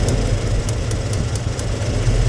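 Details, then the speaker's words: 1993 Ford F-150 V8, third engine in two years, idle air control motor disconnected, plug wires pulled one at a time: rough, lumpy idle with pulses dropping out; cylinder contributing least to be compression tested, misfire. "You see the difference? The way the motor, he'll pull the plug wire off and kind of shutter."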